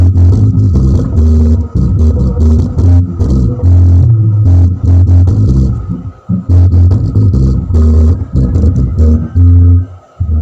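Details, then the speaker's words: Car subwoofer amplifier that still sounded distorted after an earlier shop serviced or replaced its IC and transistors, now repaired and playing music; deep bass thumps steadily with no rasp, crackle or buzz; clean subwoofer output. "Sambil dengar musik kita dipasang lagi gitu lur baut-bautnya. Soalnya ini udah normal gitu lur."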